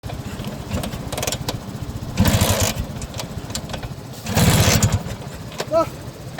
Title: hard start #px150 #vespa #scooter